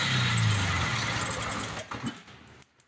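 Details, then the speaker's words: MTD 4.5 hp 21-inch two-cycle electric-start single-stage snowblower with fuel issue; rough uneven firing under two seconds on sprayed carburetor cleaner then dies, fuel not getting through the carburetor; carburetor and fuel line being replaced. "That sounds like a winner. So, we actually got an attempt to start."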